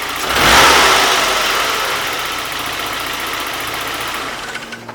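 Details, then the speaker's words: 1991 Saab 9000 2.3 turbo 16-valve, start-up after an easy repair under the coil pack for an intermittent running fault: cranks and catches quickly, fairly even idle with no misfire; normal start and idle. "Okay, so everything seemed fine, which means that we can go about our test drive, and I'll let the car warm up for the first like few kilometers,"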